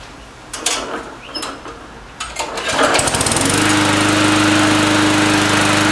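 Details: Briggs & Stratton 300 series 148cc mower with Pulsa Prime carburetor, previously running rich with sputtering and surging, after carburetor repair: a few pulls, then it catches and settles into a steady, even run with no surging; normal running.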